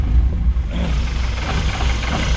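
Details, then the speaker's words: Car with twin carburetors, started after an ignition switch fix with a little choke: a deep, lumpy rumble that hardly revs and sounds like it is not running on all cylinders. Next step is adjusting each carburetor separately; cause not confirmed. "can hear it definitely sounds like it's not running on all the cylinders"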